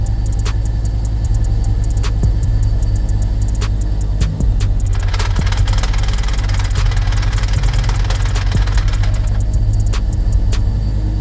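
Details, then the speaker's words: XR5x4 Turbo, freshly tuned, idling with suspected second gear destroyed during a pull. A steady idle drone with sharp ticks and a few seconds of harsh drivetrain rattling. "start it up probably get you set on the floor so you can hear the hell of a noise this thing makes"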